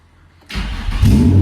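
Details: Silence, then a Nissan 350Z's engine fires abruptly and catches into a strong steady low rumble, after fuel tank lines were replaced, a main relay issue fixed, and missing fuses filled; fuel pressure and voltage good, cooling system not installed.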